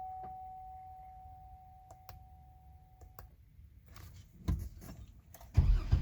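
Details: A chime and a few clicks, then short bursts of starter cranking that never catch; the engine cranks but won't start.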